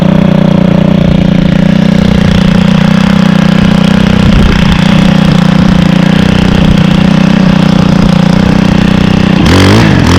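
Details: Stihl 27cc two-stroke trimmer (same engine as FS38/46/55) started on second pull: loud even buzz held at high revs about ten seconds then dropping off, no misfire or surging, like an ATV revving; normal running.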